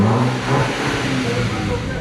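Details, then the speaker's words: Wrecked MK6 VW Golf R after replacement dashboard fitted, engine already run so not cold; short clean rise and fall in revs, no knocks or misfires: normal start and rev. "i've had it running before so i'm not just revving it on a cold engine everything it actually feels like a proper car again"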